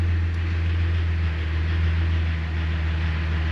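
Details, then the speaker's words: 2001 Jeep TJ after fixing a no-start, revved to charge the battery, then idling: a steady low hum with even firing and no misses or knocks; sounds decent for its age. "And yeah, I know it doesn't sound great, but it's a 2001 Jeep, man. It sounds decent."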